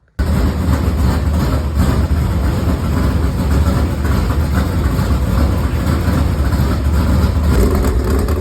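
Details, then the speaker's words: Freshly installed carbureted V8 in a dirt modified race car, just fired up; deep steady even rumble at fast idle with no ticks, knocks or stumbles; rear main and oil pan suspected leaking; normal running. "So as you guys can hear, it sounds very good."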